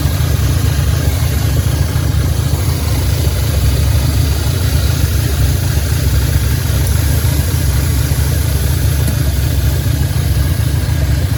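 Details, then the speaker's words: 2010 Audi A5 Quattro coupe, 6-speed manual, original 2.0T CAE engine swapped for a 2015 CPM engine, 144,045 miles, first start after reassembly and fresh oil filter: low, uneven idle with an occasional stumble roughly every second, misfire at idle; no leaks found, cause not yet identified. "I marked the oil filter with the date and the mileage to nothing but wicks oil filter you can hear the engine definitely running with a misfire"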